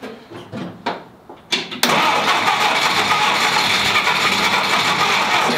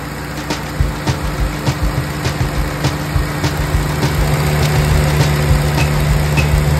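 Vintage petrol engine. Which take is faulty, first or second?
first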